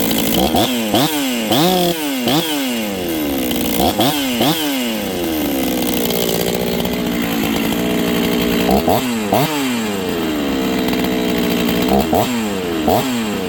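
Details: Rebuilt Husqvarna 266XP chainsaw on first run after top-end install, carb not finally tuned: repeated throttle blips climb slowly off idle before screaming; sluggish low-end acceleration.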